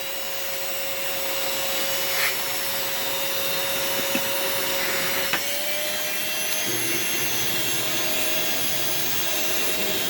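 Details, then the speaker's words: Vacuum switched on for the first time, with separate floor/tool and carpet switches: a high, steady whine climbs after a few seconds with a rough, airy edge; the motor sounds unhealthy, air purifier hiss in background. "headphone warning this unfortunately does not sound the healthiest so we've got a warning okay turn down your volume now"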